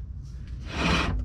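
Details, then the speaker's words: Mk3 Jetta VR6, lifted wheel spun by hand: dry scraping rub from a dragging brake; rebuilt caliper suspected seized and not releasing, possibly warped rotor; wheel bearing and ball joint checked fine. "if you turn the wheel you can hear it it seems like the caliper is like seized up and it's not releasing"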